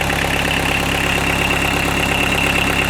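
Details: Fiat Doblo 1.9D converted to a mechanical SDI injection pump, idling after cam timing was corrected from one tooth late; steady, even diesel clatter at constant speed with no misses or knocks, idle a bit high: a normal idle.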